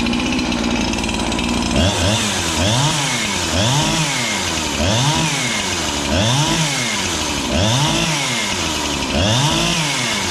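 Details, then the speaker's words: Husqvarna 365 chainsaw with a new piston and cylinder, previously a no-start: fires and revs up and down roughly every 1.5 seconds with a slightly flat rasp. Low compression because the fresh rings are not yet seated. "it doesn't have a lot of compression but it's a brand new jug so you have to break the Rings and stuff you're not going to have that amazing compression right off the bat"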